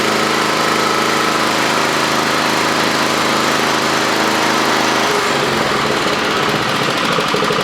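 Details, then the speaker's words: Toro Commercial mower with Kawasaki FJ180V engine, after a new carburetor and a correctly placed anti-surge spring fixed surging: smooth, even idle with no hunting or surging, then clean pickup with good throttle response; normal idle, RPM to be set about 3250. "Good idle. It's got good throttle response. Set your RPMs to about 3250 and you'll be good to go."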